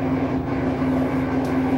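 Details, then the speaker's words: LG washer in diagnostic spin mode at slow speed, about 45 rpm: drum turns with steady low drone under a rough gritty grinding not from the drum; failed drain water pump motor, replaced with pump 4681EA2001T. "but here's the problem listen you hear that grinding noise i thought that was the drum and it's not spinning fast enough"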